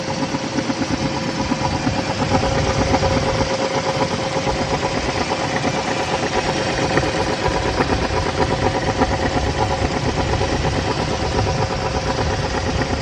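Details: Pontiac G-body petrol engine idling and revving with an uneven, irregular knock; owner unsure whether misfire or spun bearings.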